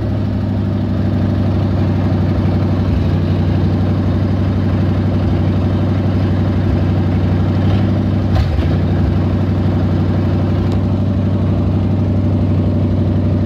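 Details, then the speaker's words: 360 5.9 V8 idling rough and high: steady but slightly lumpy fast idle with uneven low beat; vacuum leak at the PCV valve, being fixed with a tee adapter and line, capping off the port. "all right so um right now I'm working on my vacuum because my car was piling rough and Eiling really high"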